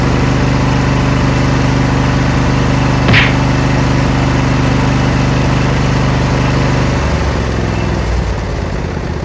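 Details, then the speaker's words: Briggs Intek V-twin on a Craftsman LT1000, after the sump gasket repair and an added governor spring, with fresh SAE 30 oil and no leaks: an even, steady idle with a constant low hum and no hunting. The governor now holds speed. "Finally, oh my goodness, I added a spring, so that stopped the surging."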